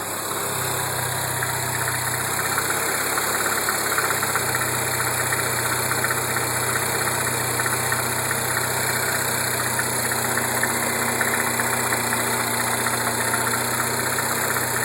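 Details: Mini R56 petrol engine idling with a busy metallic rattle and uneven knocking over a steady hum, called the death rattle; cause suspected, not confirmed.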